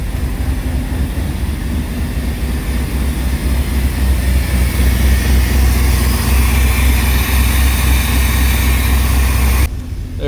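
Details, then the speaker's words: GMT400 OBS Chevy truck V8 revived after storage, running with poor oil pressure and a gas smell: loud, deep idle with a raw, open chuffing pulse about four per second from holes throughout the exhaust. "is holes in the exhaust everywhere. So that's awesome."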